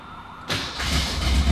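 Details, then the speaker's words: Cobra V8 with carburetor, cold start after two pumps on the carb: half a second of quiet, then catches at once into a strong, steady rumble with good oil pressure; normal cold start. "Let's go ahead and get this thing fired up. Starting process, 2 pumps on the carb. This thing's dialed in beautifully."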